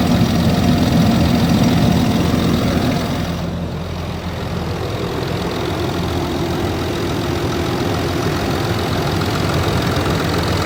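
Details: Land Rover Discovery 3 2.7 TDV6 diesel idling cold with a steady knock, roughly three to four a second, over a low rumble.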